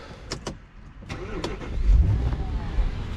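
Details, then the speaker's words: Audi A6 Allroad 4.2 FSI V8 gasoline, started with fuse 30 pulled during filter and oil service to depressurize fuel system before fuel filter change: a few clicks, catches and settles into low, steady idle without misses. Normal idle. "Let's see how long it runs. Let it idle a little bit. Once it dies out, then the fuel system should be depressurized."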